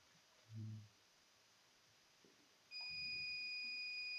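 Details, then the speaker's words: Sapphire Nitro Radeon RX570 8GB graphics card, bad capacitors already replaced: multimeter gives a steady high continuity beep for nearly two seconds, showing the short to ground remains on one side of the fuse. "oh yeah see shots stay on one side of one side of the fuse we have a show today"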